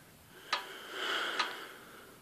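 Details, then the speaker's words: Morris Minor engine, head removed, pistons rocked by hand: sharp clicks about a second apart with a faint scrape, a lot of slap, with slack on numbers 4, 2 and 3 from worn rod bearings, with very little bore wear. "That's a lot of slap. The same in that one. Number 4 and number 2 and 3. A bit of slack in it."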